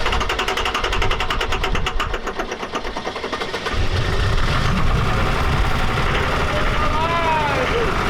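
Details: Diesel truck: cranks with a rapid chug, then catches into a rough, uneven run that doesn't sound healthy.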